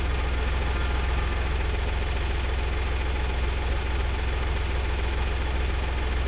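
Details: 2000 VW Lupo 1.2 TDI 3L diesel with automated 085 gearbox, idling during diagnostic scan with no faults found: even clatter at about three and a half pulses a second, no misses or surging; normal idle.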